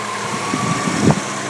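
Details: 2001 Subaru Outback L.L. Bean, after a ground wire was added to fix misfiring on all but one cylinder, with headlights, AC and wipers on: the petrol engine idles steadily with a faint even whine and no stumble or miss.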